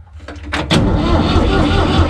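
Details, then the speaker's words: Tractor U445 4x4 DT, first start after several months, full throttle, clutch in, neutral: a few sharp clacks then steady heavy cranking that never fires; stop lever was left pulled up, so no fuel, hence no start. "Că de aia nu pornește, că ăsta a pus. Ce-i pus? E sus? E tras sus? Ia, vezi? Așa trebuie să stea, că el era tras."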